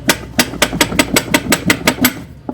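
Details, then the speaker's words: Fiat Palio suspension: sharp hollow knocks about four per second with no engine behind them, as the loose strut part hits up top through a worn bump stop; fix is a new shock absorber and bump stops. "e aí aquela peça fica fica livre aqui né E fica batendo lá em cima"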